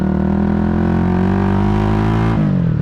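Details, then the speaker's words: Honda GB250 Clubman (owner believes 1987) after a carb clean-up, revved up to about 8 (thousand rpm): a strong, even single-cylinder note that drops cleanly off throttle with no stumble or misfire. It now revs out freely, much better than before. "you can hear, going through all the revs there. Obviously I only got up to 8, but revving out much better now."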